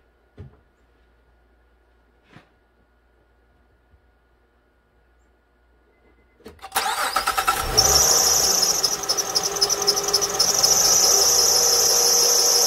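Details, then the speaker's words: 2006 Honda Ridgeline, after a remanufactured alternator was fitted: a sharp serpentine belt squeal starts at engine start and keeps screeching at idle. Pulleys look aligned by eye, the belt looks decent, and the idler and tensioner seem normal. Silicone spray quiets it only briefly; cause unconfirmed. "now if i spray silicone straight on the belt the noise goes away for a few seconds and then starts to return so i'm going to take the belt off and use an alignment tool to check the pulley alignment on the belt or on the alternator"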